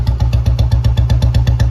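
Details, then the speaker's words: 2009 old model Bullet 350 after restoration, just started: steady single-cylinder thump slightly quick for a tickover; idle rpm is a bit high and needs setting to bring it normal. High idle speed. "य भी RPM थोड़ा इसका high है इसकी थोड़ी setting waiting करेंगे तो यह भी नर्मल हो जाएगा"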